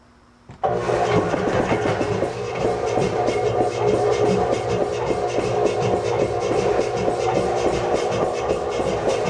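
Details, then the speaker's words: Newly acquired 80-gallon shop air compressor on a new 220 V plug: kicks on hard and runs with steady rapid thump and hum; owner thinks the belt might be a little too tight, not confirmed. "I need to to uh adjust that belt I think it might be a little bit too tight but uh yeah 220 plug works"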